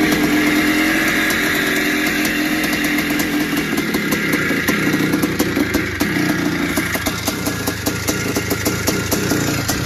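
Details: Barn-find 1981 Suzuki RM465 two-stroke, first start after fuel down plug, heavy smoke: raspy uneven running with loose metallic rattle; owner suspects worn top end, possibly blown main seals (clutch side), unconfirmed.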